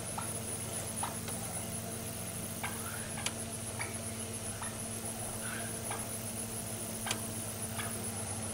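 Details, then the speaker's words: Solar tracker actuator run on a 7.5 Ah battery with polarity reversed to retract it: quiet steady low hum with faint constant whine and a few clicks as it slowly draws back in; actuator motor working normally. "Yeah, it's bringing it back in. And you can actually hear it humming a"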